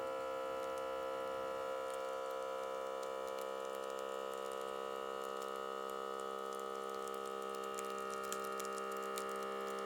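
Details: Microlife BP3aq1 blood pressure monitor after board repair (torn traces restored, J3Y transistors replaced; compressor and motor were fine): steady, even pump hum with quick regular ticking about four per second as the cuff inflates on the arm; works normally, doesn't over-inflate.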